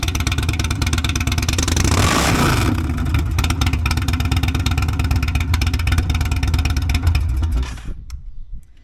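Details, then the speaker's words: Indian Sport Chief V-twin with Lloydz 585 cams, Lloydz intake, Sawicki Speed exhaust and a Lloydz tune: a loud, lumpy rumble swells through a strong rev, holds an uneven cammy idle, then shuts off cleanly; it sounds healthy. "And other than that, we did the LLOYDZ tune. And this thing sounds like a rape tape, man. I mean, it's pretty awesome."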